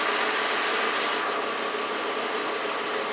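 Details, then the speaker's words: 1992 Lexus LS400 after replacing the coolant temp sensor, having sat dead for months: smooth, even hum with steady rpm and no misses, a stable idle while warming up, though the scanner shows lean on both banks. "our rpms nice and stable"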